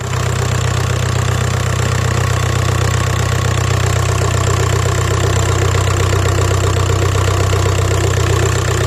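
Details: Engine with codes P1666 and P0301 (cylinder 1 misfire) plus an electrical error; low, heavy rough idle with an uneven lumpy pulse under a steady drone and shaking, indicating misfire at idle.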